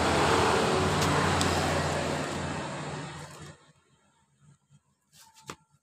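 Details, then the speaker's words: Carbureted Honda Vario that had died completely after a recent engine rebuild/oversize, run from a bottle fuel feed that bypasses the automatic fuel tap. The small single runs evenly with a smooth beat, then shuts off. Normal idle, so the fault is traced to the automatic fuel tap. "motor hidup dengan normal berarti saya pastikan bermasalah di motor ini di kran otomatisnya ini yang jadi permasalahan dari motor ini"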